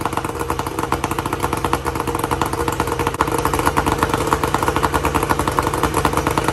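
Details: 1994 Tohatsu M40C two-stroke outboard after water pump replacement, unseizing the seized motor and freeing the locked lower unit, run with water on: crisp, even buzz at steady revs with no misses or knocks; running cleanly and healthy.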